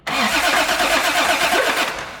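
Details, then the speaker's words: Toyota Supra first start attempt: uneven whooping surge over starter cranking with no clean catch, seemingly from the middle of the engine; owners suspect a belt or a rod problem in a cylinder, cause unclear. "that sounded like it was coming from the middle of the engine i'm not even gonna lie maybe do it one more time oh i think there's like not a rod in one of the cylinders"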